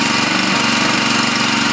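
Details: Honda 5.5 engine on a used log splitter after welding repairs and tank cleanout: steady, even buzz at constant speed, no misses or surging; good running motor.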